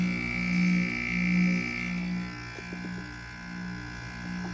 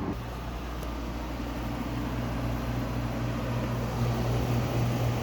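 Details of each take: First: Window air conditioner unit running: steady low hum with an intermittent coarse buzz on top that comes and goes; the compressor is noisy and the cause is unclear. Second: Quiet, healthy rotary compressor on a window air conditioner at startup on a hot day: a steady low drone that shifts pitch once and settles, with no knocking or rattle.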